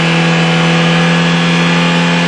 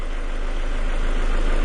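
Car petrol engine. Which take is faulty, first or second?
first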